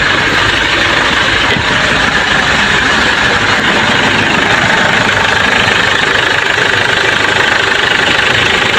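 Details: Ford Everest diesel that had a no-crank fault, now started: steady, even clatter at idle with no misses or surges; fault was the park sensor, so it only starts in neutral, not in park.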